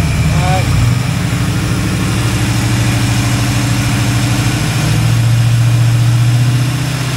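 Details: Kevin's Chevy El Camino V8, engine hot, idling after the timing was checked: deep, even low rumble with all cylinders firing steadily and the earlier lope gone. Sounds a lot better; normal idle.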